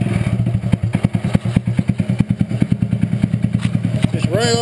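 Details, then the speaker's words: Rat rod riding mower running: engine chugs unevenly about three pulses a second, stumbling and briefly cutting out; owner suspects fuel starvation because it is almost out of gas. "as you can hear it cuts out a little bit staring for fuel probably cuz it's almost out of gas"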